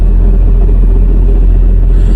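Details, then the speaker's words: Honda Civic idling in gear: a heavy low rumble with a loose, uneven transmission rattle. The transmission is slipping and going out; the mechanic ruled out the flywheel, and it needs a rebuild or replacement. "You can hear the transmission rattle. You can really hear the transmission rattle on this thing."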